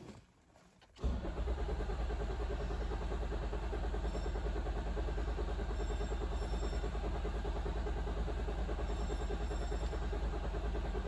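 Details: Toyota Auris crank-no-start with code P1604, ECM power relay circuit codes: steady even starter cranking, no attempt to fire; fuel rail pressure below the roughly 80 bar needed for injectors to fire.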